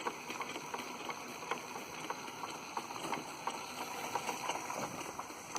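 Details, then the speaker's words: Polish school steam mill engine run by gas-fired boiler, overdriving a workshop lineshaft, at full throttle: quick even chuffing about three beats a second with light mechanical ticking; healthy, below governor speed, about top mill-engine speed. "the governor it's not even on the governor yet it can go a lot faster than that but that's pretty much as high of a speed as a mill engine whatever be going"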